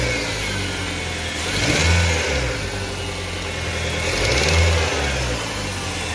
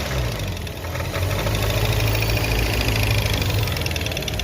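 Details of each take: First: Car engine after the belt driving the accessory pulleys was removed and refitted: steady idle, two clean revs, no rattle or squeal; the annoying noise had come from the worn air-conditioning compressor, now gone, normal revving. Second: Car engine at idle and light throttle: loud, uneven knocking over the idle from the belt-driven accessories up front, traced to a worn air-conditioning compressor. Worn A/C compressor.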